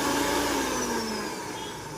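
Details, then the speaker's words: Mixer grinder after oiling the rusted shaft bushing and setting the shaft's bottom screw: smooth steady motor hum slowly dropping in pitch as it winds down, no rattle or scraping; previous noise gone, running normally. "अहिले हाम्रो चाहिँ यो मिक्सचरमा जुन आवाज आइरहेको थियो त्यो चाहिँ बन्द भैकेको छ र यो हाम्रो यसरी चाहिँ मजासँग चलिरहेको छ।"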